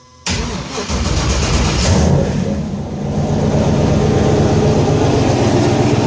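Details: Fairmont project car, new fuel hose and throttle body setup, fuel pump temporarily wired: short crank catches at once, revs flare, then settles into steady even idle without misfire or rattle; starts and runs fine.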